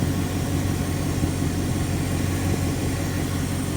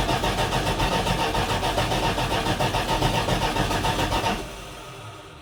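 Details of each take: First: 1980 Dodge W200 truck with V8, first drive after restoration: smooth, even low idle with steady rumble, no ticks or knocks; engine nice and quiet, though the power steering squeals from a leak. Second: 1980 Dodge W200 truck after restoration, first start, carburetor dry and fuel pump still priming: even, brisk cranking about four seconds without catching; no start from fuel starvation, fuel later poured into carburetor bowls.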